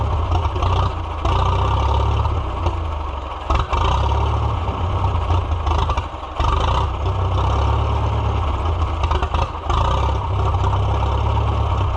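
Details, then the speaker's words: Farmall F-12 tractor on steel, auction find being revived, air tube off, rusty tank, possible rust in carburetor: engine chugs unevenly at low revs, dipping and catching as if fuel-starved, then dies; owner suspects the choke, not confirmed. "I was just about ready to drive it and then it died. My choke is not doing the thing right."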